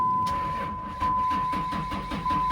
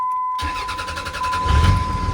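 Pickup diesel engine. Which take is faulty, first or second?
first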